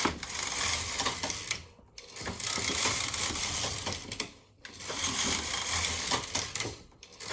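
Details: Empisal Knitmaster 550/560/580 (Silver Reed SK-840) knitting Fair Isle with a Mylar sheet: busy clattering ticks on each carriage pass about every two and a half seconds, short pauses at row ends; normal, even operation.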